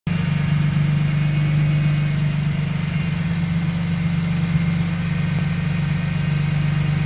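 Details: Engine idling after a VANOS rebuild, with code P0012 and the AC stopped blowing: steady low heavy idle with an uneven rough pulse underneath; abnormal engine noise, cause unclear.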